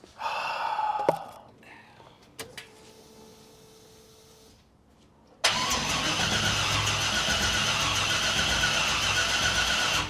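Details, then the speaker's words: C5 Corvette drift car after engine install, no spark, stock throttle body plugged in as a test, weak battery: starter spins steadily about four pulses a second but never fires; cranks, no start, cause unconfirmed. "It's doing absolutely nothing. Put the charger on that battery."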